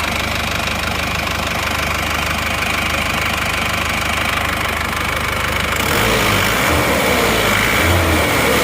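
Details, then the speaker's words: Isuzu Panther diesel with a used replacement block, fully warm with temperature stable at 85–90°C: steady, even idle clatter, slightly rough but normal and safe; exhaust smoke now very thin. "Jadi kalau temperatur ini 90 ini masih aman kita dengarkan suara mesinnya begini suara mesinnya"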